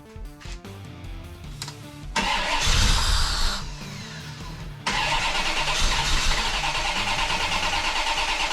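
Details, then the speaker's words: 1990 Chevrolet Corvette, crank no start: steady starter churn about three turns a second that never fires, after swapping in a spare ECM with chip, which ruled out the ECM; chip or adapter board suspected. "okay no luck uh so we know it's not the ECM"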